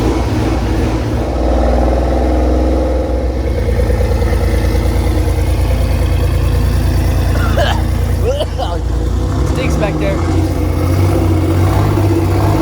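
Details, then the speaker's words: Nissan GTR first start after head gasket failure and full engine rebuild: lumpy, uneven, loping idle; mechanic suspects it is running on four cylinders instead of six, not confirmed; engine misfire. "he's checking everything to see why it's running on what he seems already thinks his four cylinders he thinks going running on four when I should be running on six"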